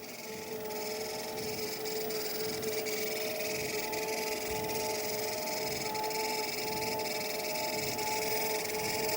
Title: Treadmill squealing noise when running before removing drive belt